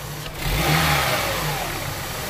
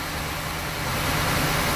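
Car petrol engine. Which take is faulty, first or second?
second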